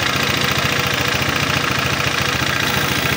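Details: Honda PCX 150 scooter idling with the tensioner cap off. Harsh, with a hard, fairly even knock of 3–4 per second; a weak tensioner or cam chain tension is suspected, and the head is to be opened.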